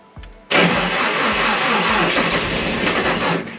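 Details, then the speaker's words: Nissan S13 Silvia after crank pulley repair, first start attempt out of gear with battery still low after charging: sluggish, labored, slow uneven cranking that never catches; battery lacks charge to start, jump pack considered. "Battery's still a bit dead, but should be right. Let's give it one more go. I don't think I've got enough charge."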